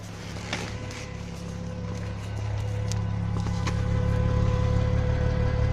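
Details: Audi A6 C4: a constant fuel-pump hum stays over the engine as it runs and revs; the new fuel pump whines after only two days in service.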